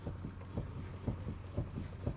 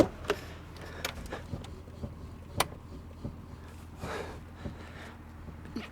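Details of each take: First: Lada Kalina steering rack knock: dull low thuds about twice a second as the parked car's wheel is rocked around the straight-ahead position. Knocks also occur driving slowly over rough dirt roads; not the steering shaft coupling, clamps or electric power steering. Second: Steering wheel rocked after tightening a worn steering rack (knocks on rough dirt roads, play at centre); only faint soft clicks and cabin hum, no knock or play at the wheel.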